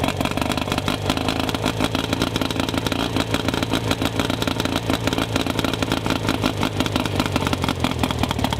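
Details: Rough-running two-stroke outboard after new ignition control module, shortened coil boots and silicone grease on connections: fast, rattly buzz that keeps running steadily but with an uneven, slightly ragged beat; better but still slightly rough.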